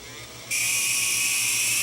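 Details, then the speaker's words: Toshiba DVD player disc motor, run 24/7 for years, bench-powered around 15 volts: thin high whine starts abruptly, holds steady with rough edge, dead spots where it stops; worn motor. "oh that motor is not sound it did not sound happy at all"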